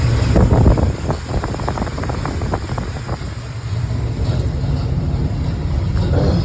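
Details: Cammed 305 small-block Chevy V8 in a Pontiac Grand Prix G-body, after a random misfire and rough running at stops was found and fixed. Deep, choppy lope with no missing beats, under some wind noise.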